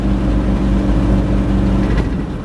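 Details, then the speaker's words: 1962 Cadillac Sedan DeVille with a Jetaway automatic, pulled from a desert: engine revs climb and hang at a high steady drone with no pitch drop for a gear change; automatic not upshifting. "I'm trying to really make sure it's not getting those gears"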